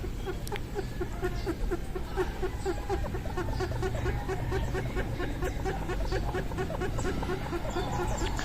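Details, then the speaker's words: Scooter CVT belt turned by hand with the belt and drive face (front pulley) wet, where the dry belt was silent: rhythmic high chirps, two or three a second. It is a wet CVT belt squeak that goes away once the belt dries from heat and air. "Ngunit pag ito na pong basang belt at nabasa na rin po itong ating drive face or front pulley, ayan, ganyan po ang magiging tunog"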